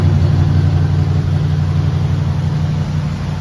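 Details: 1976 Cutlass Salon, 54,000 original miles, cold start after sitting 24 hours, following gasket work last winter: a smooth, deep V8 rumble held at a slightly raised, steady fast idle with no ticks or misfires. A healthy cold engine.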